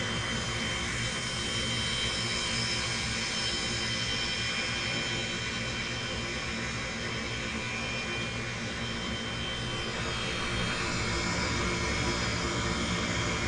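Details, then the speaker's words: Comfort Air furnace KG7SA-054C23A1 after DIY replacement of a bad control board: steady, even airy rush with constant hum, no rattles, scraping or surging; normal blower operation. "that's the blower i guess we did it"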